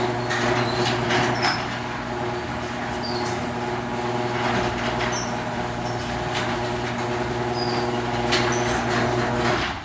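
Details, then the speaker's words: Genie screw drive garage door opener after greasing the screw rail with low-temp grease: steady even motor drone through full travel, no grinding, rasp or squeal, much quieter; normal screw drive opener operation. "okay so now you got a nice lubricated rail let's go back to the button over here [Music] much different now we can talk and you don't hear"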